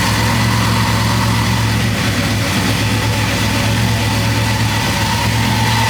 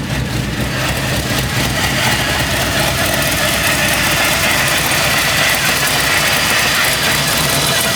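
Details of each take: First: Chevy C10 V8 after the vacuum leak was fixed and the brake booster and a sensor reconnected: a steady, even idle with a deep regular burble and no hunting or surging; normal, healthy idle after repair. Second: Chevy C10 V8 after a new wiring harness, injectors and MAP sensor: it catches and idles steadily, then near eight seconds the idle sags and stumbles before recovering; a vacuum leak makes the idle act up.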